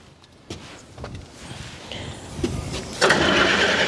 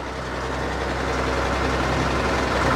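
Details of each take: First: Old log loader diesel with glass-bowl fuel filter: scattered clunks, then about a second and a half of hard cranking that dies away without firing; acts like it wants to start but cranks and won't start. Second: Log loader diesel engine with about 91.72 hours, running after getting it started: deep, even rumble at steady idle without knocks or misses; engine sounds good, normal idle.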